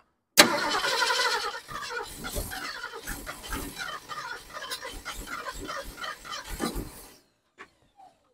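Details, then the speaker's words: 1972 Ford Ranchero being revived, in cold weather after battery charging and carburetor tweaks: starter cranks steadily at two to three turns per second for six seconds and never fires. Ignition fault suspected; distributor base plate later found loose. "there's obviously something else wrong we have some kind of ignition issue and uh I'm not sure yet what it is"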